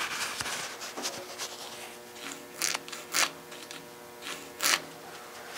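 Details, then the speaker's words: 1951 Ford with Infiniti G35 interior, microphone inside the car then at the door striker: irregular dry crinkling rustles with no mechanical rhythm from masking tape on the door striker; everything else quiet. "the only noise that we're hearing is this masking tape to be taped off to strike with everything else is perfect"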